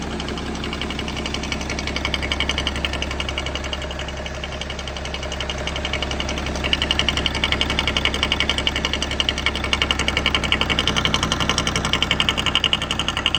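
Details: BMW E60 M57 diesel idling, engine bay: sharp regular knocking over the idle, big knock only with oil cap open; vacuum pump cause, harmless, not engine damage.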